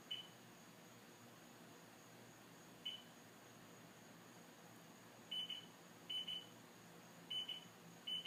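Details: STX 15F that runs hot and won't start, battery disconnected and ignition off: faint high-pitched double beeps at irregular intervals; owner suspects a bad voltage regulator.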